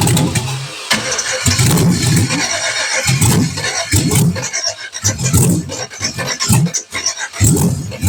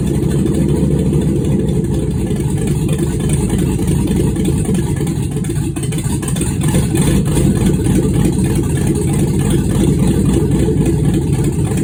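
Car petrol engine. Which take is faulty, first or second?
first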